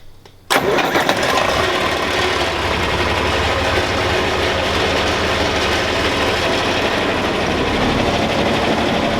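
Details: John Deere 4020 diesel tractor started after sitting two years: brief crank, then it catches at once and settles into a steady, even idle with no misses or knocks; a runner, normal start and idle.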